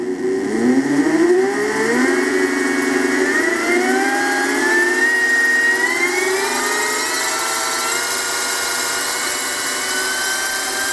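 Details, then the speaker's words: Harbor Freight mini mill retrofitted with surplus 600 W brushless DC e-scooter motor, first run on power supply, speed control starting very slowly: several whining tones climb together with a warbly edge, weird motor sound; cause not confirmed. "so starting very slowly there it goes weird sound but that's the sound of the motor"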